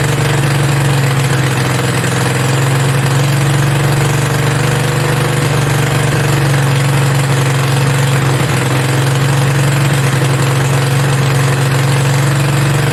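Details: Mini bike V-twin, a generator engine, first start with belt off and throttle knocked up; steady fast unchanging buzz with no dips; idling way too high, adjustment not on top but a screw underneath needing a screwdriver.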